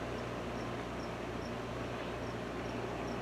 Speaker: Blower fan's not running yet, but that may take a moment to come on. But we have a picture. See? Optoma DLP systems. Okay, and blower fan just came on, so that fan's running.